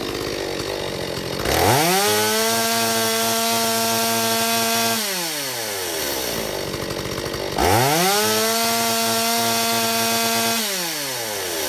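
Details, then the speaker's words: Stihl 025 chainsaw after fuel line orientation and metering lever corrected and carburetor adjusted (one turn open): revs cleanly to a high steady scream in each cut, about 13,000 rpm no-load top, drops smoothly to about 2,800 rpm idle; runs well. "Okay, we're back from a successful test run. This time saw is much easier to start and uh with the settings back to uh you know one turn open and this turn back down. It runs pretty well."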